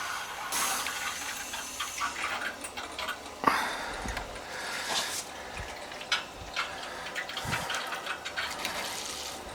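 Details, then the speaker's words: Old farmhouse hydronic heating, end zone purged after frozen pipe repair and refill: irregular gurgling and spurting with bursts of bubbles as a lot of trapped air rushes out. "This end one here has got a lot of air. You can hear it. You can hear it rushing through."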